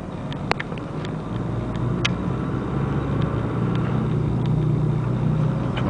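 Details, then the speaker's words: 2002 VW Beetle TDI test drive: low steady drone starting around 30 mph, louder with speed through third to fifth gear at 60–70 mph, over tyre and road rumble; bad passenger-side front wheel bearing, later replaced. ""25, 30. There comes that droning like. It was in third gear. I put it in fourth gear. Man, that is loud."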